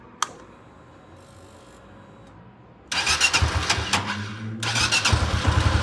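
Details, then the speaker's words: Honda CB300F single idling; lumpy idle with a loose metallic chatter on top, like something metal knocking or a rattle, source unknown. A new noise, louder when the engine is hot after riding, with slightly elevated vibration. "Parece que tem algum ferro, alguma coisa batendo. Tem um barulho tipo um chucalho."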